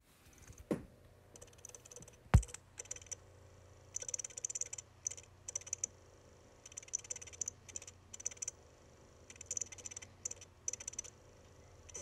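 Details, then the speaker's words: Failing hard drive from a Mac mini: bursts of fast ticking and chirping, with occasional hard thumps from the read head slamming against the park-position stop. Hard drive head crash. "the second one is that thumping sound which is the sound of the read head being slammed against the backstop of the park position"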